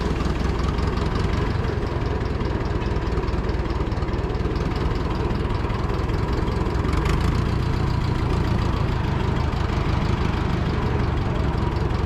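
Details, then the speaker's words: Oliver Super 44 tractor that sat almost a year: steady low idle with an uneven beat and occasional dropped firing pulses; it still misses slightly, cause not pinned down (owner thought a sticky valve may have freed up). "let's try second gear still sounds like it's missing a little bit"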